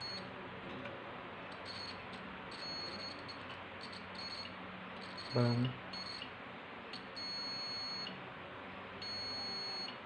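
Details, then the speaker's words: Multimeter continuity test on a no-heat electric oven part after cleaning off oxidation: short high beeps, then sustained steady tones as probes hold contact; continuity restored, current passes. "ඉතින් බලන්න වැඩේ සාර්ථක වෙලා තියෙනවා. Current එක ඒක හරහා pass වෙනවා."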